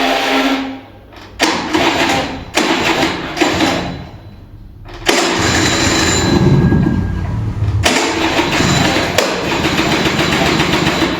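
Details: Vintage Kinetic Honda 2-stroke scooter, early-morning cold start: several cranking bursts then a longer struggling spin, weak ignition, engine won't catch as the battery drains.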